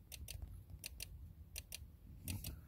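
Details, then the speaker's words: 2008 Range Rover Sport HSE: sharp relay clicks in quick pairs repeating steadily under the driver seat, from a glitching seat control module; seat and mirror adjustments not working. "so my Range Rover Sport my front seat is making this weird clicking sound"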